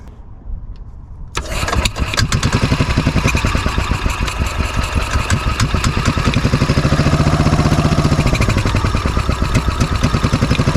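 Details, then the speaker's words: 2003 Club Car DS golf cart, previously seized engine after sitting about 3 years, fresh gas added, primed and choked: cranks and catches, then ragged uneven putter that surges and stumbles; running rough while left to clean out. "got it running I had to put the snor on and choke it just going to sit here and let it run for a little bit try to clean out just a little bit"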